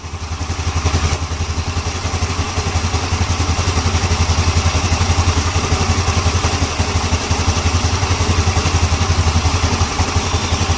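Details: Yamaha Ego LC scooter after replacing a CVT-side part for loud noise: even, regular single-cylinder putter at steady idle with no rattling from the belt side; normal idle.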